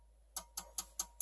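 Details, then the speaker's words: Dell Optiplex 3020 jerry-rigged with a 450 W HP power supply, first power-on: orange light and sharp, even, obnoxious clicking about five a second repeating over a quiet background. "so we have a orange light and a very obnoxious clicking sound so you're trying to tell me something"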